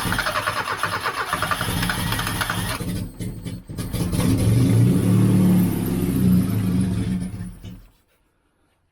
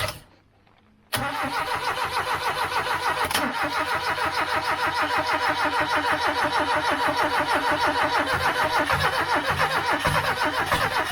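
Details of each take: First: 1989 Austin Mini Designer, 998cc A-series engine, restarted after about three years unused, running on some choke to raise revs: rough loud exhaust, fast fairly even beat; no tapping noises, running quite smoothly, normal. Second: 1989 Austin Mini 998cc A-series, first run after three years sitting, run without choke. Catches into a lumpy pulsing run, surging and dropping off, with no tapping or knocking. Owner suspects fuel delivery problems.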